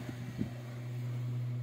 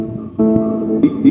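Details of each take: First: B-35 bass amplifier plugged in before repair: only a low steady mains hum, about 120 Hz, with no signal passing through; the power amplifier IC has failed. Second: B-35 bass amplifier that gave only hum with no signal, after replacing the 2030 output IC: clean, full bass notes with no hum or buzz behind them; the amplifier now works properly.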